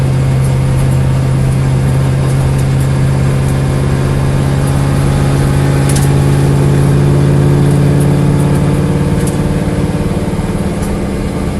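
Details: Corvette engine at a low, lumpy idle whose uneven beat breaks rhythm every few turns. Engine misfire at idle.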